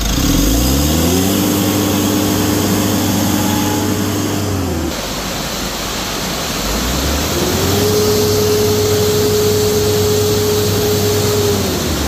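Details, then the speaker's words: Mitsubishi L300 Euro 4 turbo diesel after EGR valve, intake manifold and turbo cleaning plus new air and fuel filters: revs up twice, clean rising tone, settles evenly, no smoke, healthy. "Ayos, walang usok."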